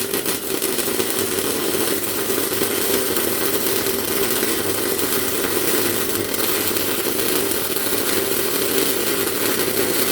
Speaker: Alright, so that was the amps too high. As you've probably seen in that video, the puddle started off alright, but then as it moved along, it sort of got hotter and hotter and hotter, and there was so much more heat going into the part than what the actual wire feed could keep up with.